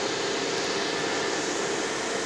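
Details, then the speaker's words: Desktop PC at power-on with no display; fan starts slow, then roars flat out; the cause is a RAM fault: mismatched modules, dust shorting in humidity, or static on the contacts. "تو یہ اصل میں issue ہوتا ہے RAM کی وجہ سے، کہ ریم کنفلکٹ کر رہی ہیں، ایک جیسی نہیں ہے اس وجہ سے، یا اس میں بہت زیادہ ڈسٹ آ گئی ہے تو شارٹ ہو رہی ہیں ہیومیڈیٹی کی وجہ سے، یا سٹیٹک چارج آ جاتا ہے ان پہ."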